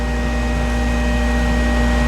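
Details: Schumacher PSC-12500A battery charger set to 12-volt standard at 2 amps, charging a 2002 Ford Ranger 4.0L V6 battery: a steady, even fan hum with a faint constant tone and no ticking or scraping; cooling fan running normally.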